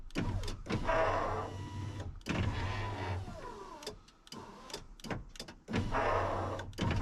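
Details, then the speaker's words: 2000 Ford F250 Super Duty 7.3 diesel power window, after penetrating oil in the track: the motor whirs in short strained bursts that drag and slow near the bottom. Owner still suspects a bent track; the glass is binding. "still think this uh this track is bent or something"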